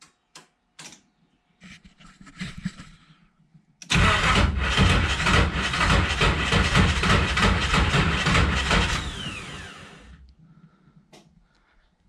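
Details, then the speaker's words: 1987 Nissan Pathfinder VG30i with aftermarket cams, converted to VG30E EFI, after the distributor was re-set from 180° out: the starter cranks evenly for about six seconds but the engine never fires. It cranks with no start; the cause is not confirmed. "still not happy at all around three whoo she's close"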